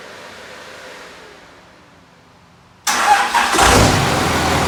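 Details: 2001 Cummins dually diesel, about 240k miles, first start after cracked 53 block replaced with rebuilt 56 block, VCO injectors: quiet shop noise, then diesel fires and settles into steady even idle, no knocks or misses; normal.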